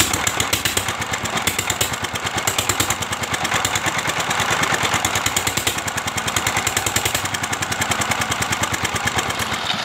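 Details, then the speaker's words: S1100 single-cylinder diesel at fast idle after restoration (valve replaced, stuck piston and liner freed): steady thump with gritty gear rattle on each beat; timing gears rough, owner may replace or keep using. "Alhamdulillah sekarang mesin dieselnya sudah mulai enak hidupnya ini ya dan ternyata di sini suara gearnya sudah Memang agak kasar ini teman-teman"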